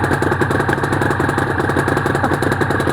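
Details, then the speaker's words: Restored Honda NSR250R-SP MC18 two-stroke with choke on and JHA pipes: a busy, crisp idle with a steady buzz and no dropouts, both cylinders firing evenly, power valve servo working. Normal idle. "Wow. Those pipes sound nice. Wow, those pipes do sound nice."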